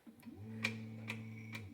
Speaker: and you're gonna see it run um so there you go if i hit it again it's going to run it again and we're good to go